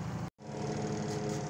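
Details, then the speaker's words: Sharp Spin Magic 7.0 kg spin dryer after repair of slow-to-start spinning fault: steady even motor hum, no scraping or knocking, drawing 1.1 A under load; normal spin. "So Okay na po yan tagumpay na naman yung ating ginawa tining na tining siya oh ang ganda ng kanyang pagkaka takbo"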